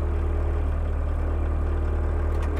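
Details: Mk1 VW Rabbit 1.6L turbo diesel, recorded inside the cabin after turning the fuel pump screw to raise idle for winter: low, steady hum with an even, slightly raised idle, no knocks or hunting; sounds healthy.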